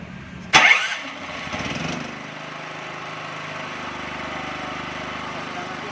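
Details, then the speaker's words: Loncin 8800D petrol generator with newly fitted ATS panel and electric auto choke, started by key starter: brief crank, catches at once, settles into steady even idle with no misfire or knocking; healthy start. "Coba kita lihat, coba nyalain dang starter dang, pakai kunci starter."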